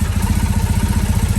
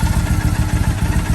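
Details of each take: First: 2007 Triumph Bonneville T100 twin: steady, even low thump at idle with no hunting or misses; both cylinders sound balanced and the idle is dialled in. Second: 2007 Triumph Bonneville T100 twin with the carb sync deliberately altered for a SynX tool test: lumpy idle with uneven, loping exhaust pulses, one cylinder beating harder than the other; carbs out of balance.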